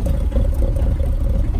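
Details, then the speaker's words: Mahindra Roxor diesel, about 21 hours and 96.3 miles, first start after polar-vortex outdoor storage at about -5°F, standard battery: deep idle clatter, uneven and slightly lumpy; rough from sitting, left to idle warm with the usual smoke plume. "kind of rough from sitting but you just let it idle let it do its thing"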